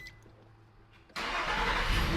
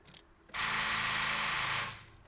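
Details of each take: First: 2010 Nissan Frontier 4.0L V6 jump-started with an Oxilam Y5 portable jump starter: engine catches instantly without struggling and settles to steady even run; healthy quick start. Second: 2010 Nissan Frontier 4.0L V6, battery still connected before jump-starting: short, high whirring crank about 1.5 seconds that stops without catching, gauge needles bouncing; weak cranking from a nearly flat battery.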